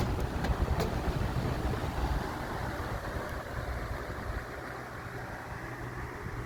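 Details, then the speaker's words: 1991-1992 Robeson 2393 electric fan after its warped plastic blade was replaced with a spare blade: it runs smoothly with a steady low airflow rumble, and the motor buzzing has stopped. "Doing away with this old warped plastic blade, and got one of my spare liquid blades on here. And the buzzing stopped from the motor. Sounds good now."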